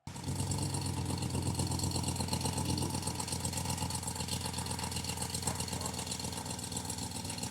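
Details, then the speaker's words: RAM 1500 petrol V8 (DS/DT) idling, engine bay: fast light tick, about four per second, over the rumble from a cracked exhaust manifold; fix is replacing the manifold. "they have an issue with a manifold cracks. Um now, what you'll hear when this happens is a ticking noise in the engine bay."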